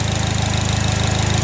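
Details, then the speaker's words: Fire GL at idle: fast regular light tick riding on steady idle; owner thinks it almost sounds like fuel injectors but is unsure. "see that ticking almost sounds like fuel injectors too"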